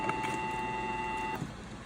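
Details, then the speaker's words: Old Sebastian lathe motor run for the first time as found on three-phase power through a phase converter, running both directions: a clean, smooth, quiet hum that fades as it coasts down. Healthy. "I gotta tell you, I'm really surprised that this thing ran, and that it ran as quiet, as smooth as it did."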